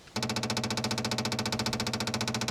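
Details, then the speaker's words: 1967 Opel Rekord 2DHT Coupe after long storage: the starter chugs at about twelve compressions a second with no firing. Cranks but won't start; the fuel pump may not be lifting fuel, and a kinked hose was found. "It always sounds pretty bad, but yeah, but it doesn't really help if the pump doesn't lift. There's something wrong here."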